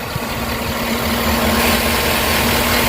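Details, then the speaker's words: 2009 Chevrolet Tahoe 5.3 L V8 after engine repair for valve lifter noise, water pump and alternator not yet fitted: smooth steady idle with even low burble, earlier side noise now gone, no lifter ticking; normal idle. "Engine अब बिल्कुल ठीक है। देखो, यह बिल्कुल सही चल रहा है।"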